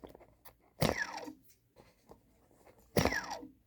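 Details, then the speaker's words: Eachine/Diatone ER349 SX race quad, new unflown brushless motor: two short spin-ups, each a gritty crunchy rasp falling in pitch on coast-down, shaking the box; bad motor bearing, unlike the other smooth motors. "as it is one of the fastest on the market now with this motor like this already making the bearing crunchy sound as opposed to nice and smooth"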